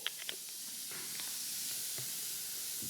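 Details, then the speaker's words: Wilesco D455 tabletop stationary steam engine, boiler at pressure: a couple of small ticks, then a soft, steady, subtle hiss as the safety valve lifts and vents a little steam. The safety valve is working normally. "So that's what it does when the valve lifts. It's very subtle, but you can definitely hear it, and you can definitely see it a little bit there with the contrast with the dark backdrop. So that's the safety valve actually working, so that's cool."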